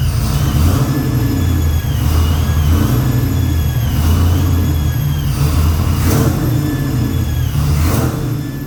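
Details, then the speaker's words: 1979 Pontiac Grand Prix G-body V8, carbureted, noticeable cam overlap: heavy loping idle with a wavering rising-and-falling whistle-squeal; owner suspects vacuum leaks everywhere, squeal thought to come from underneath the carb. "yeah pretty awful sound right pretty pretty darn awful sound I'm gonna start just replacing lines because there's leaks everywhere vacuum leaks everywhere and I think that squeal is coming from underneath the card"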